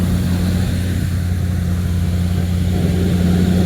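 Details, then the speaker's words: 1979 Ford Thunderbird after fuel system rebuild (new fuel pump, filter, rubber lines, sending unit), running on its own: steady low rumble with even, unbroken idle rhythm, no knocks or misses. Smoke is only spilled oil from an oil change burning off. "I can't wait to send this to the family you hear this thing running on its own"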